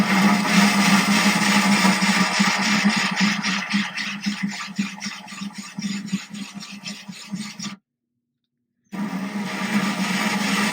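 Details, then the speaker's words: Ryobi drill with a diamond core bit drilling a thin-glass 10-gallon aquarium, water-cooled, going slow and easy after checking underneath showed no cracking: gritty rasping with a rhythmic pulse a few times a second. Normal smooth cutting. "I'm going to go back in here again, get started, go nice and easy."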